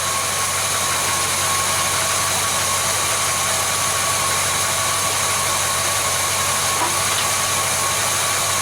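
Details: Car with oil pressure warning light fault, mechanical gauge showing about 44 psi at idle: steady, even idle with smooth hum and faint thin tone, no knocks or ticks; healthy engine with good oil pressure.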